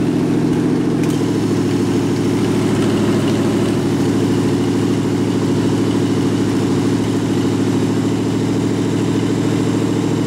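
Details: Rat rod truck idling with a York AC compressor converted to a belt-driven air pump for an air-bag suspension, building tank pressure, switch set near 100 psi; steady idle with soft rapid pumping pulse underneath, normal.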